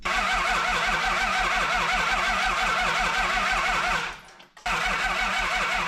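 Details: Toyota 2H diesel from an HJ47 wreck cranks steadily at about three beats a second but never catches; no fuel reaches the injectors.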